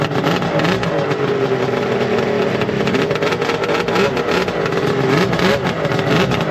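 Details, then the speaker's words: Slightly rusty pull-start two-stroke snowmobile with triple pipes: a crisp buzz climbing and falling cleanly with the throttle, no misfire or rattle. Healthy, free-revving engine with no leaks. "All right, we got to hear it. We got Oh, yeah. She sounds nice. Wish electric start."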